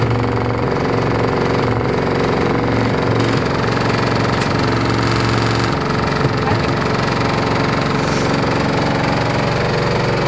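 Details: LG F14A8RD washer dryer: a loud, fast, uneven knocking runs steadily through the cycle; something inside is banging, and the cause is not yet clear.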